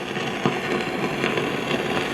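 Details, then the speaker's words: 1955 GE Musaphonic Model 581 tube radio (hybrid chassis with printed circuit board): constant hiss with irregular pops and crackles like distant thunder and no station received, from failing silver mica capacitors in the IF cans. "we have the same crackling thunderstorm effect that we always seem to have when we have the symptoms of SMD, which are bad mica capacitors and the IF transformers."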